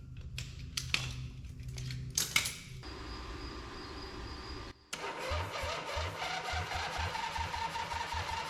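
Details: Harley V-twin in an off-road trike build, just rebuilt, with choke and a little fuel. A few cranking clicks and a pause, then it catches into an uneven, loping, low-speed run; engine starts and runs.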